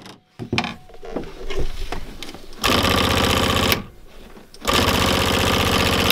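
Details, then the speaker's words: 2005 Polaris Ranger 500 UTV, bought as a non-runner. After tapping on the electric fuel pump, it gives a loud, harsh buzzing chatter in steady bursts with pauses between. It sounds rough and is probably failing. "That doesn't sound good."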